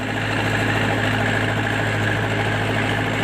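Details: MTZ-82 tractor diesel with new injectors; rough, loud idle with a hard metallic clatter. The knock comes from a broken-off valve fragment striking the piston, which left pieces on the piston.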